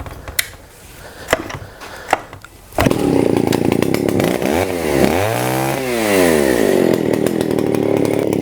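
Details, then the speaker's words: STIHL 041AV chainsaw, abandoned about 20 years: after a few sharp pulls it catches, revs rising and falling unevenly as the high-speed mixture is set. "turn like that. And that should make it rev just the way it should."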